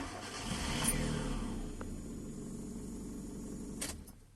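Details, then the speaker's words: 2005 Kia Cerato hard start: fuel pressure 28 psi dropping to 20 instead of about 50, falling at once at shutdown so the injector rail empties; starter churns several seconds before the engine catches; weak fuel pump pressure. "فلما ينزل الضغط وجوب ندوره، المسطرة البخاخات تكون فاضي ما فيها بنزين، تاخذ وقت حتى تمتلي بنزين."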